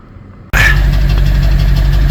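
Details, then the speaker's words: BMW 740Li V8 with heavy cold-start vibration, codes P0300 plus cylinders 1, 3, 5, 6 and 8 misfiring; hot-type plugs replaced with correct medium plugs, coils still suspect: lumpy idle with rhythmic puffing pops at the exhaust, abnormal misfire. "그리고 머플러 소리를 보면 펑펑펑펑 하잖아요. 이게 지금 비정상이라는 뜻이에요."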